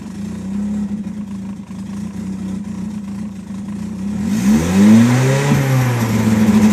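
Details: 1993 Nissan 240SX S13 SR20DET on jacks, exhaust leak, Godspeed manifold, 3-inch exhaust: hunts and stumbles at idle, misses unevenly when revs rise and are held; rough running traced to slight oil overfill.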